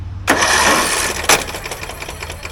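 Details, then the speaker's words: Craftsman DLT 3000 riding mower, about 2010-2015, whose owner put gas in instead of oil; on a jump pack the starter whirs fast and light with no compression, spinning too freely; suspected internal failure such as a detached cam gear. "With the issue with the engine just free spinning like that, that tells me in my mind there's one of two things."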